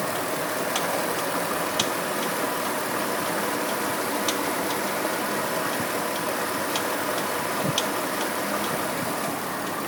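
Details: Pontiac G8 idling after swapping OEM harmonic balancer for an ATI Super Damper: light fairly regular tick every second or two; owner suspects a pulley now under added tension failing, source unconfirmed.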